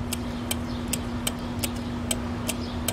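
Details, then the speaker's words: Relay bench test on a 2005 Chrysler Pacifica (3.5L V6, AWD) during failed-starter diagnosis: battery energizes pins 85 and 86, giving eight crisp, evenly spaced clicks over a faint hum as the relay rapidly opens and closes, which is normal. "okay so that really opens and closes right there okay so what do we have remember that was like rapidly opening and closing that's what that clicking sound was"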